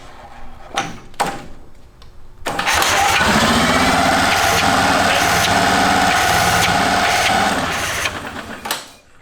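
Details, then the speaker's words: Military-surplus twin-cylinder engine, supercharged: short crank bursts, then a brief uneven run with a higher whirr that fades and stops. It starts but won't keep running; lost spark is suspected from the bad-looking magneto coil, not confirmed. "reckon we uh lost spark? We want to check."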